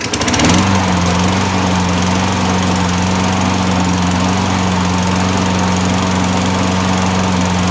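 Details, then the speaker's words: Toro 6.5 HP front-wheel-drive recycler 22in mower, after bending back the bent handle-lever plate that kept the switch from completing the circuit: catches quickly and settles into a steady, even drone; runs great now. "So, all I did was bend this back into place, and it runs great now."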